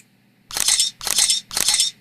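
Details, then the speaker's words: SprintPic imaging system capturing an image: three quick, bright shutter-like clicks about half a second apart, crisp and even. The camera is active and capturing normally. "And so now you hear the sound of the camera, which tells us that the camera is active."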